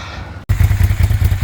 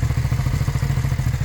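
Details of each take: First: Long-abandoned first-gen Suzuki SV650S V-twin starting: lumpy, uneven low thumping with missed beats as one cylinder doesn't fire; its carburetor float needle is stuck, flooding the cylinder and leaking fuel from the crankcase and header clamp. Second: First-gen Suzuki SV650 V-twin, revived after years abandoned, after rear cam chain tensioner adjustment: even, fast exhaust pulses with only a little noise and no rod knock; bottom end feared junk but running cleanly, normal.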